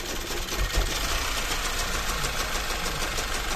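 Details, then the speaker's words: 2008 VW Passat B6 1.8 TSI with high fuel consumption. It fails to start first time, then runs with an uneven, shaky idle. Scanner shows misfires on cylinders 1, 3 and 4 with 40 bar fuel pressure; injectors are the focus. "Сідаємо за кермо запускаємо двигун запускається він не з першого разу отак от він робить його трусить"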